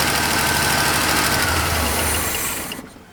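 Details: Long-parked truck with GM HEI, its power wire fed 12 volts from a power probe while cranking: runs with a steady, even beat for a few seconds, then dies as the gas runs out; ignition is now working.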